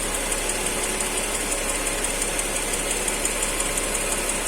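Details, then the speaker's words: Mercedes M112 petrol engine, hot idle: sharp ringing metallic knock, absent when cold, heard clearly at the exhaust pipe; cause not yet found. "вот такой вот звук штучек появился вдруг отдает выхлопную трубу слышно его здесь хорошо такой звонкий"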